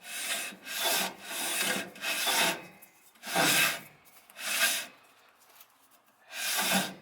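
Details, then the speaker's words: 1966 Plymouth Fury front wheel, hand-spun after new wheel bearings and brake pads, bearing nut being adjusted: dry scraping rub about once per turn; rough rotation, owner suspects dirt on the pads causing friction. "so and of course it's also a little bit rough because i don't know maybe there's dirt on the pads and stuff that are creating a friction"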